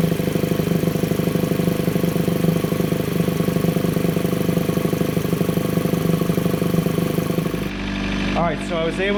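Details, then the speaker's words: Chevrolet Cruze at steady idle with open intake: loud droning, pulsing hum; noise under the valve cover or PCV system resonating through the PCV line into the intake, before catch can install. "what's basically happening is the pvc system is making a sort of resonating noise or something's making noise under the valve cover that's going through the pvc system into the intake it's very loud"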